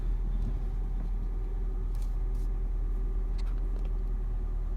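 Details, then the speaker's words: 2011 Ford Fiesta after steering shaft replacement for a popping/clunking noise when turning: steady low engine rumble while the wheel is turned, no clunks or knocks. "all right I have everything hooked back up tighten down and here's the test to see if my noise is fixed and no more clunking noise"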